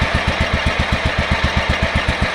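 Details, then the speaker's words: Yardman 15 hp riding mower with 42-inch deck, revived after sitting outdoors: small single-cylinder engine thumping at a steady, even beat of about seven pulses a second; idles smooth and healthy. "So, that is awesome. Listen to that thing idle. That is sweet music to my ears."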